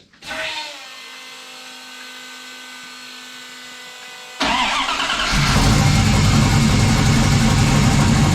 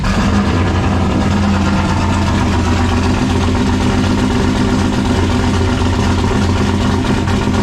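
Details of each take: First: 1995 Dodge 5.9 Magnum V8 in 1951 Dodge dually, new Comp Cams Xtreme Energy 20-746-9 cam, 60lb injectors, GT45 turbo, engine hot: catches and settles into a fast, lumpy idle around 850 with steady cam chop, all eight firing; normal. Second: 1951 Dodge one-ton with a 1995 5.9 Magnum V8, new Comp Cams Xtreme Energy cam, 60 lb injectors and a GT45 turbo, first start: loud, choppy, lumpy idle. Two cylinders on one side appear not to be firing, with burnt or broken plug wires suspected.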